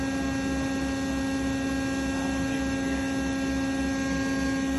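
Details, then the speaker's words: 300 kVA flash welder with hydraulics on and a part clamped, before welding #9 rebar: steady even electrical hum with a low buzz, no knocks or surges; normal operation. "Okay, we've got the hydraulics on, as you can hear."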